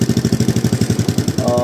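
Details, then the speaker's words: Honda Revo Absolute after replacing the loose cam chain and tensioner, flushing and fresh oil, valves unadjusted: smooth, even idle with no rattle or ticking; exhaust found cracked. "suaranya halus ya. Suaranya halus. Mesinnya mati. Enggak ada kemerecek atau apa ya."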